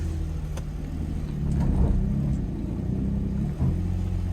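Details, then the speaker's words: Nissan or Infiniti auction car with 144,000 miles, battery flat; deep, smooth hum swelling as revs rise and settling back evenly, no knocks or rattles; engine sounds healthy. "sounds really good okay yeah this thing sounds good 144 000 miles definitely uh this might be a good one from where it sounds I like it guys I like it"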